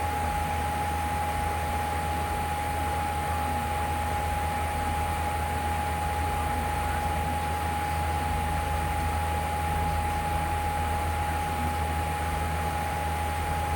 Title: Loud Humming sound